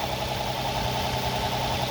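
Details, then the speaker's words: Infiniti G35X with the Nissan VQ35 3.5 L V6 at idle, after swapping in the throttle valve from an FX35: smooth even idle with no clicking or ticking; the valve swap cured the fault. "I took the valve from the FX35 and I put it in my G35X and everything disappeared now the engine is working right and there is no clicking or ticking sound coming from this"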